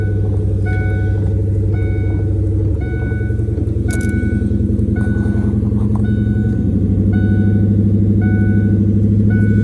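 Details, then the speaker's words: 1996 Ford Mustang GT convertible at startup, parking brake set, in neutral, after earlier starting hiccups: deep, even idle pulse with steady exhaust note under a repeating chime; starts and idles as it's supposed to sound. "Everything's already looking better than what it was doing. Now that's what it's supposed to sound like."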